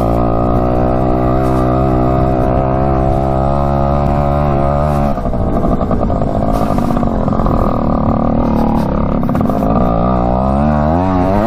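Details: 1967 Yamaha YL1 two-stroke motorcycle, barn find revived after sitting over 40 years, normal running while riding with popped tire tube: crisp ringing note pulling cleanly, easing off and picking up smoothly; goes pretty good.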